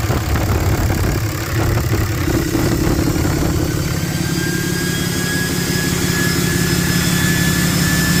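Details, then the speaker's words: Idle on a 4th-gen Ram 3500 Cummins right after first start of its rebuilt HE351VE VGT turbo; actuator off, assembly lube used. Steady diesel clatter with a faint high turbo whistle and no rubbing or knocking; healthy. Minor oil leak at the empty VGT sensor port; needs a relearn. "Boom, guys. Everything's working good."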